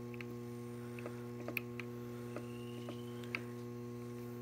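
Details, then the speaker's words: DJI Phantom 3 gimbal after the fix, camera gimbal screw adjusted with second-smallest Allen key; steady low electronic hum with a few light clicks, the previous grinding noise gone. "But that grindy noise is gone."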